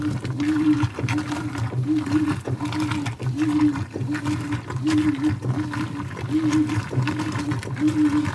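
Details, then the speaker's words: 2011 Whirlpool Cabrio Platinum washer (WTW8200YW0), bearings and basket drive previously replaced, washing towels on high-speed agitation: quick, steady strokes with an even motor hum and water sloshing, no grinding. Normal wash agitation. "See how quickly that blue towel is moving? These machines work fairly well when you just use them correctly."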